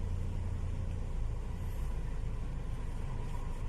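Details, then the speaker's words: Honda City before repair: low, lumpy idle rumble with uneven pulsing beat; engine shakes and stumbles, violently with AC on; scan tool showed O2 sensor values normal. "รถคันนี้มีอาการนับตอนเครื่องเย็นๆนะผมตามใหม่ๆนะผมมีการเครื่องสั่นนะเพื่อนกระตุกนะผมหาเวลาเปิดแอร์เนี่ยเครื่องสั่นเป็นเจ้าเข้าเลยนะครับ"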